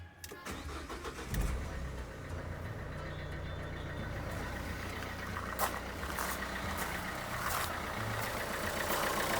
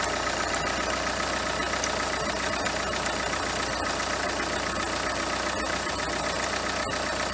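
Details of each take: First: Renault Kangoo 2, 1.5 dCi diesel, after replacing the alternator overrunning clutch pulley (alternator bearings fine, charging OK): steady even idle, low rumble, the earlier metallic ticking, jerks and clicks gone; normal idle. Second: Renault Kangoo 2 1.5 dCi diesel at idle: light metallic ticking rattle about two or three per second with cricket-like chirps from the alternator; belt removed shows the overrunning clutch pulley has large play and no longer freewheels properly; alternator overrunning pulley rattle.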